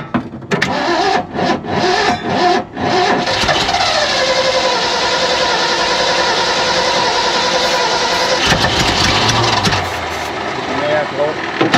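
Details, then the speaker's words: Abandoned 1970 Ford F600 U-Haul truck that sat about 30 years, start attempt: starter churns in uneven bursts with short pauses then steadily, never catching; cranks, won't fire. Spark questioned. "How come it's not like in the TV shows where it just starts right up?"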